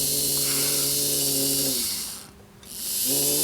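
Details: Hornby Ringfield model train motor after servicing and cleaning excess oil from wheels: even buzzing whine winds down to a stop, then spins back up the other way at same pitch; smooth, no more oil thrown.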